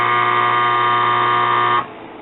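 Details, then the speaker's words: eBay replacement motor for a washing machine, hotwired for a bench test. A steady low electrical buzz with a hum under it runs about two seconds then cuts off; the cause of the buzz is unknown, though it sounds unlike the other motor. "Sounds good. Don't know why the buzzing sound. Well, it doesn't at least sound like the other motor."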